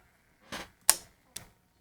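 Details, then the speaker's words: Trashed DVD player on the bench, with two capacitors already suspected: three quick light clicks then silence as the lens moves and seeks but won't read the disc; the lens may be dirty or a part value off. Cause unconfirmed. "okay I can hear the lens moving so I don't know maybe it just doesn't like the disc yeah don't know"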